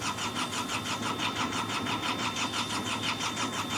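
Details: Hitachi EX55UR excavator diesel, sat a year with broken boom; even starter churn pulsing about three times a second with no catch; crew feels it wants to start, will try again tomorrow.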